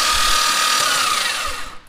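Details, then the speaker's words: Rebuilt forged twin-turbo Mitsubishi 3000GT VR4 6G72 being primed on a third battery until oil appears: steady high starter whir with no firing, winding down; engine turns over cleanly. "i'll just bring you guys back once i start getting oil out i guess because i've now been through two batteries that's my third here we go"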